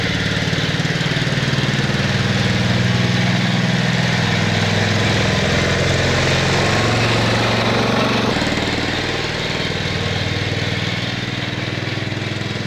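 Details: 1969 Bolens 850 tractor, Wisconsin S8D 8.25HP single-cylinder, run after carburetor initial adjustment while tuning points: loud rough roar at high speed with uneven rapping; knocks badly at high RPM, idles poorly, smokes; cause not yet pinned down.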